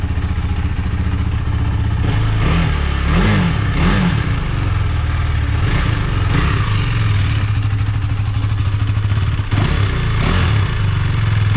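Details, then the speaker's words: KTM Duke 390 after two weeks parked, warming up beside a wall that makes the exhaust boom: deep single-cylinder bark rising and falling through several clean rev blips, no knock or rattle; normal revving. "ചുമരിൻ്റെ സൈഡിൽ ഇങ്ങനെ ഇരിക്കണ കേൾക്കുമ്പോഴേ ഭയങ്കര മുഴക്കം പോലത്തെ sound കേൾക്കണം കേട്ടോ. ചുമരിൻ്റെ side ആയതുകൊണ്ട് അടിപൊളി. മുകളിൽ ഭയങ്കര മുഴക്കം പോലെ കേൾക്കുന്നുണ്ട്."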